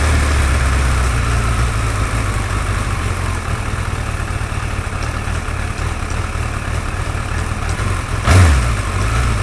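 Rough, uneven idle with a light ticking riding over the low rumble and a brief blip; a tick worth chasing, cause unclear.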